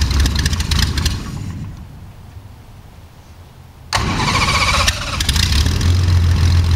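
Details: Jabiru 3300 six-cylinder in a plans-built Sonex aircraft with Rotec TBI, about 50 hours on the engine, first start: after a quiet pause it catches sharply and settles into a steady, even idle with no misses or knocks.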